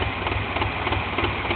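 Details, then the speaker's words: 1997 Ford Ranger at idle, misfiring persistently despite new MAF, IAC valve, plugs and wires twice, coil packs and vacuum hoses: an uneven, lumpy idle with irregular dips and pulses in the exhaust beat, the engine stumbling and trying to die. "And as you can tell, it's not idling the way it should be."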